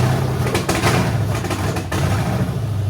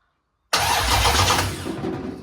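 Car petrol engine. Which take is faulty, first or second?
second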